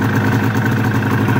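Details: 1999 Arctic Cat ZR 600 EFI snowmobile two-stroke with the 3-wire throttle safety switch disconnected as a workaround for cutting out: steady even idle, constant buzzy pitch, no misses or knocks; idling normally, though the kill switch no longer works.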